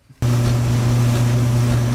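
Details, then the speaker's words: Whirlpool Duet gas dryer after replacing the bad igniter and gas valve solenoids: igniter glows a few seconds, burner lights, steady even low hum with no clicks, scraping or rattles; dryer working normally again. "But you can see the igniter starting to glow. It takes it a few seconds for that to get started. There we go. We got fire. And so now it's working again."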